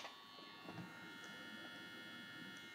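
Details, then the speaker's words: 1947 Chrysler Windsor Mopar 602 tube radio, restored with new caps, resistors and cleaned vibrator contacts: steady even electric buzz from its Mallory replacement mechanical vibrator supply running normally. "but this one still has a mechanical vibrator and all of you can hear it buzzing away back there"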